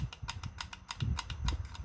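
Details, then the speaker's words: Worn reaction shaft on a washer-style reaction shaft from a 4L60E transmission core, probably early-2000s: sharp dry clicks about every sixth of a second as the shaft is turned by hand. The teeth are badly grooved, bushing wear is minimal, and the shaft needs replacing. "That's reaction shafts wore out. Alright. If you see how bad the teeth are grooved, that reaction shaft needs to be replaced."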